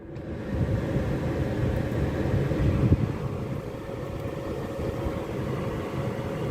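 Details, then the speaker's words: Used car bought at a dealer auction, just started, heard from inside the cabin with no dashboard warnings: low, even hum with no knocks, ticks or squeals; normal healthy idle. "and from inside the car the engine sounds absolutely fine I can't hear anything at all it sounds like everyone I've ever had"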